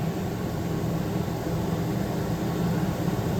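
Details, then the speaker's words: Main living-area AC unit on a 2018 Heartland Sundance 3700 RLB 42-foot RV: a steady airy blower rush with no compressor click or hum ever joining. The fan blows room-temperature air but the compressor won't start; cause not confirmed. "And it's not clicking on to start anything else. It's not starting. So it's been a while and it hasn't clicked on. It's just blowing room temperature air."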